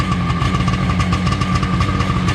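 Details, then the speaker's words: 1995/96 Seadoo XP 800 two-stroke idling after a starter repair, during carburetor tuning ("not 100% perfect"): steady, even idle with a light buzzing tone and no misses or knocks, a normal idle. "Not 100% perfect. Little wiggle test. I don't know, it seems pretty happy."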